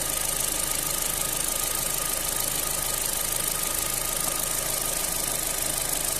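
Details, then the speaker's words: Opel Z16XER engine after repair of knocking camshaft phaser gears (new gears) and low oil pressure, warmed up to 107°: even quiet idle with a soft steady hum and no knocking; repair successful. "тиск Все тихенько працює все ремонт вдалий"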